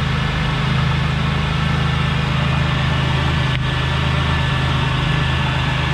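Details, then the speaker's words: 1998 Buick Riviera L67 supercharged 3.8L 3800 V6, 157,278 miles, heard outside at idle; steady, even low hum, nice and smooth with no supercharger coupler noise or rattle from the blower drive; normal idle. "nice and smooth no noise no super trigger coupler noise"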